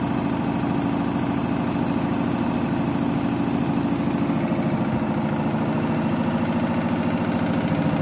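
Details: Candy washing machine, final spin, half load of synthetics: fast steady pounding roar at high drum speed with a constant ringing whine on top; spin is abnormally loud.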